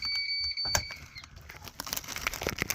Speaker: the radio came on once but I never heard any sound this thing is beeping if I turn it on water pressure so it must have a water pump but it doesn't do anything